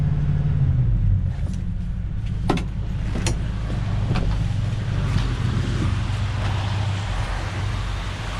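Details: 1967 Ford Galaxie 500, 289 Ford V8, just restarted and warming as the thermostat opens during first-start break-in: deep, even idle with no knocking or ticking, only a few light clicks; it runs smoothly.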